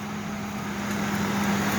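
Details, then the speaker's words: Ford Explorer running: smooth, even running with a steady low hum and no squeal or chirp from the belt; sounds healthy. "Sounds good. [Music] Sounds really good. Heck yeah. Well, guys, guess what? I got another one going."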